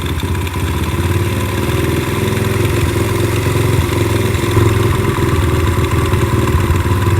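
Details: Four-stroke carbureted pit bike that bogged and only ran on choke, after carb work: small single thumps at a steady idle rising slightly as the idle screw is turned up; even, healthy idle.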